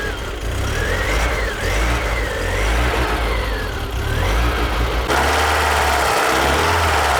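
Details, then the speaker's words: Barn-find BMW E30 off road 15 years, last started 10 years ago: engine catches and settles into steady even running with no misses or knocks; runs fine, just needs a service. "runs all right just need the service and she will be good"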